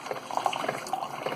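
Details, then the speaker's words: Keurig 2.0 K300 coffee brewer with a mechanical pump, after repair (had not been pumping; cleaned with vinegar, coffee grounds cleared from a tube): soft gurgling, dripping and light sputters as coffee streams into the cup; normal pumping and brewing. "She's pumping. We have coffee coming through."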